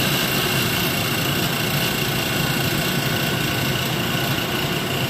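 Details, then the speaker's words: E-beam evaporator roughing pump started first, valve to chamber still closed so not yet pumping the chamber: steady even churning hum, no knocking, gurgling or rising whine; pump sounds healthy. "So there's the pump, you can hear it running. It's not really pumping the chamber because the valve is off."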